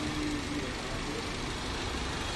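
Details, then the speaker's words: 2000 Honda City Type Z that stalls with the aircon on, during idle-screw adjustment with the screw turned all the way; soft, steady but lazy idle with no misfire; idle still too low, then rises only slightly. "Wala ng galit. Ayun oh. Mahina no. Ito walang galit eh."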